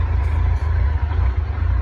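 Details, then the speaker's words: 2007 Yamaha FJR1300 won't start without starting fluid and seems lean since the small coolant hoses to the cold high-idle wax valve were replaced. No error codes, plugs good, no vacuum leaks found. Even warmed to three bars it idles unevenly; rough idle, cause unknown. "even once it's up like it's up to three bars it's still not running for crap"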